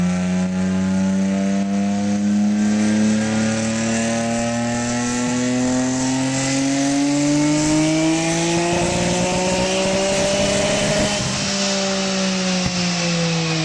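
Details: GTR on a dyno, October 2009: engine pulls up steadily through the revs under load with irregular stutters and crackle in the note, misfire under load.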